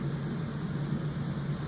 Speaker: We got our fan on low right now. I hit fan, takes it to high. You hear it blowing right there.